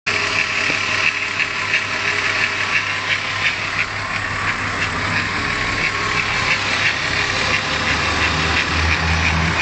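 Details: VW VR6 engine at idle: steady idle with light, fairly regular ticking about three per second over the hum; ticking noise from the engine.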